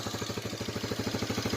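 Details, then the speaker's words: 1985 Honda Big Red 250ES, cold, just started after long cranking from sitting a long time: a quick, fairly even putter of about twelve beats a second with some clatter. It idles on partial choke because it tends to stall, smoking quite a bit. "Smoking quite a bit. Choke on a little bit because this thing likes to die."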